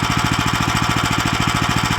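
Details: New Lifan LF390QE Pro (heavy duty, GX390-type) petrol engine on a flail mower, rubber-mounted, started on choke with booster pack on a cold day: rapid even thumping about twelve beats a second, no misses or knocks; runs cleanly.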